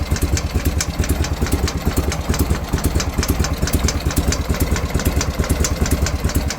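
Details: BMW R51/3 boxer twin at an even idle: steady light tick, about two per second, possibly top-end or follower noise; cause not pinned down, owner asking for ideas.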